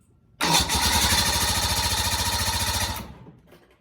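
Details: 1986 Bass Tracker boat outboard, previously not starting: cranks briefly, catches and runs steady and even for a few seconds before shutting off cleanly; bad battery was the problem.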